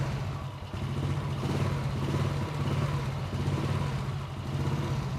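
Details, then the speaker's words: 1991 Honda Astrea Grand, rarely used with a weak battery, kick-started: a steady low single-cylinder four-stroke putter that revs up evenly without knocks or rattles. It starts very easily; the engine is healthy. "Gue coba nyalain. Ini sangat-sangat tokcer."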